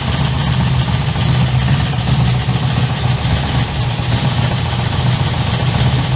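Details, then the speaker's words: 355 stroker V8 in an HX One Tonner, restarted after 11 years unrun, Repco Engineering exhaust, recorded on a shotgun mic walking around: deep, lumpy idle with a firm even pulse and throaty growl, loud but not obnoxious; smooth and healthy. "It's loud, but it's not over the top obnoxious loud. It's got a nice growl to it. The idle is nice and tough as well."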